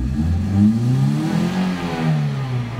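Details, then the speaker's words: 2006 Toyota Corolla Altis after a starter replacement: with the throttle pressed, revs waver and sag instead of climbing; idle drops to about 600 rpm, lumpy, and it stalls. Poor throttle response and unstable idle from a vacuum leak. "ayaw pa niya magalit. Ayan an halos mamamatay siya. Ang rpm niya eh 600."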